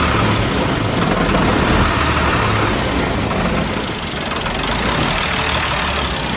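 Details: 1999 Freightliner diesel, hard start/no start: heavy lumpy idle with uneven chug and sag-recover surging near stalling, blue-gray smoke; it dies then idles fine, check engine light flashing; suspected bad fuel pressure sensor.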